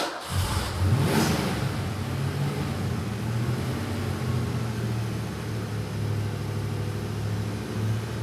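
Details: Mustang GT broken down on the road, fuel pressure about 36–37 psi versus roughly 42 psi base, fuel sock clogging from tank dirt suspected: engine catches with a quick rev, then uneven, lumpy, wavering idle, only staying running on throttle.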